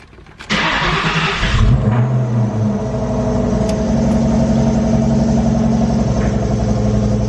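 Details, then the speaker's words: A Cobra engine, after a repair the owner feared damaged the heads or head gasket, gets a short crank, clean catch and quick rev on a cold start, then an even idle. The earlier noise is absent and there is no tapping or knocking, so this is a normal cold start. "I don't hear anything I gotta get my brake stick I'm gonna move it out of the garage without warming it up I hate doing this"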